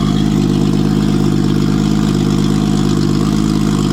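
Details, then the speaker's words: Nissan RB engine with 20 deck, after fixing a no-compression fault, now on six cylinders: steady, even idle with smooth low burble, no misses or knocks; all cylinders firing cleanly. "Um, so yeah, let's see what this 20 deck sounds like with six cylinders."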